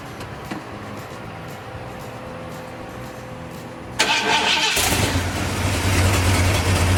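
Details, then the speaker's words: Ford 460 V8 in a Big Bronco, first start with headers that still have some leaks: starter whirs, engine fires and settles into a deep even idle with steady lope, no missing. Healthy start. "that is that's smooth I was just touching the key Wow I just move in torchy motor though even with that little little header thing it still sounds great okay"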